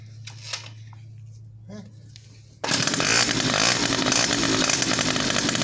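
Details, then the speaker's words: Two-stroke motorcycle after quick carburetor repair, exhaust outlet covered with a rag to listen for connecting-rod tick (no valves, only rod knock possible): steady buzzy run with no knocking; normal running, no rod tick. "al poner la marcha tapamos con un trapo, tapamos la salida para escuchar si hay algún tiqui, que es de biela, Acá no hay válvulas, no hay nada, solamente golpeteo de biela puede ser."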